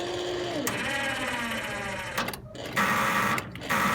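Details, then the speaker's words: Half-scale NASCAR mini cup car, cold start after new clutch, battery nearly but not fully charged: starter whirs in sluggish bursts with pauses and the engine never catches; owner suspects the battery is still too dead, failing to hold charge in cold weather. "So I'm pretty sure our problem is the battery is just still really dead."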